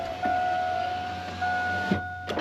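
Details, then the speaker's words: 2001 GMC Sierra 1500 C3 driver's window with a passenger-side regulator motor from an '05 1500, wires extended; steady motor whine as the glass goes up, soft thump at the top. Working normally after the fix. "And back up she goes. And that's how you make a passenger side window regulator motor work on the driver's side."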